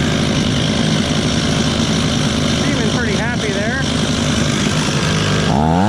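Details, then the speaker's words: Stihl 026 chainsaw, first start after a rebuild, idling to break in on a snowy day: fast two-stroke buzz holding a steady idle with no misses or stalling; it runs cleanly. "there I'm going to let her sit there and idle for a bit and kind of break in a little bit"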